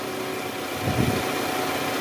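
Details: 2010 Toyota Camry, 2AZ-FE engine, cold after about two hours off, idling high in drive just after replacing a worn balancer shaft that caused a rough grinding noise on cold start; now smooth, even idle, one brief soft thump from the brakes.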